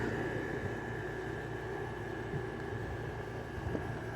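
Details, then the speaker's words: LG 6000 BTU window air conditioner with GMCC rotary compressor on low fan: steady compressor hum with faint, even refrigerant hiss; cooling well, ice forming on lines, normal operation. "hear the um refrigerant um hissing a little bit here the going through a little bit"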